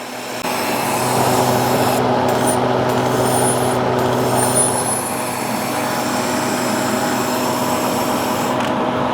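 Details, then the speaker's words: Harvest Right freeze dryer (2021) functional test, vacuum pump on shelf: steady airy hiss over pump's even hum as air was sucked back through the drain valve left open; closing it fixed the vacuum leak. "and if you heard that hissing sound what i failed to do was close the drain valve so it was sucking air back up through the drain valve"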